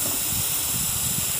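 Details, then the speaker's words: York condenser pressurized with about 49.8 psi nitrogen during leak search; loud steady sharp hiss at the suction service valve when it is moved, likely overheated during installation without a heat sink, solder joints not leaking — refrigerant leak at suction service valve. "see it's not leaking but see now you can I don't know if y'all can hear that now it's leaking see I hope y'all can hear that now it's leaking there you go now you can hear it real"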